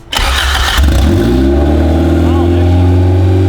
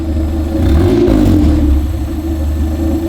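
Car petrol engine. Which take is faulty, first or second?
second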